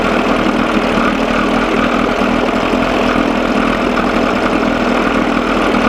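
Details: 1987 Johnson 6 hp two-stroke outboard on a bucket after carburetor linkage fix and gearcase oil change; steady even buzz with no stumbles after correcting a lean sneeze/miss; mixture sounds right, though engine still runs too cold.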